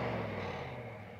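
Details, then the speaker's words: Kohler Command CV22/CH22 23 hp twin after swapping the SAM ignition, which lost spark on both cylinders when warm, to standard coils: test fire with some choke, steady low drone easing down, no stumbling; runs great. "so we're gonna go ahead and test fire this thing and see if she runs get a little bit of choke oh yeah she runs great"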